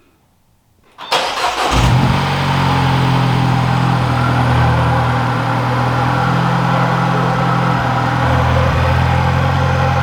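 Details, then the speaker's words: Mini that had a rattle at cold start; after tightening the loose bracket and the downpipe bracket it cranks, catches and idles steadily with no rattle at all, fixed. "i don't know about you guys but i don't hear it anymore so i think we fixed it actually i know we fixed it there's no more rattle no more rattle at all"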